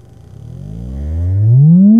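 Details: 1976 Celestion G12M 55Hz speaker (13.3 ohms DC resistance) from a Marshall cabinet, dust cap previously repaired with epoxy; tone sweep rising low to mid pitch with no buzz or rattle; clean sweep, speaker healthy.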